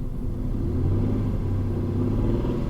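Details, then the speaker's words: 2000 Peugeot 607 ES9J4S V6 petrol 210 hp, ZF 4HP20 automatic, 200,000+ mileage, check engine light on: heavy rough laboured low rumble swelling when revved; engine badly worn and failing. "The engine is fucking gone. Yeah, it's gone, man."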